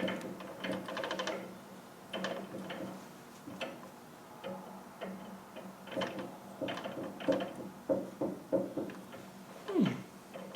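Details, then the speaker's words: Land Rover Defender 110 300 Tdi on a lift, axle turned by hand with shafts removed then one refitted: uneven metallic clicks and clunks; crown wheel shows unusual wear and seems out of mesh, suspected, differential clunk with excessive backlash. "It's like that crown wheel's out of mesh. But this is really strange how this has come like this."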